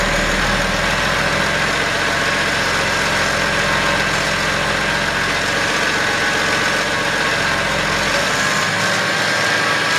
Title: 2011 BMW X5 35D bad idler pulley.